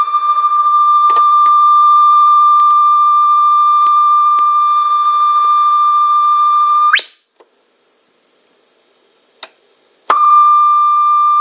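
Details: Conion CRC-H 84 cassette deck after belt replacement and lubrication: a clean, steady tone around one kilohertz holds level, drops out briefly and returns at the same pitch; tape speed sounds stable.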